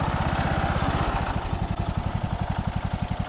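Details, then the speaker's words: Cub Cadet LT1045 riding mower's small petrol engine, after carb cleaning and fuel system repair, settles into an even, steady idle with a regular low putter; normal smooth idle. "you guys can hear it idles Down super smooth"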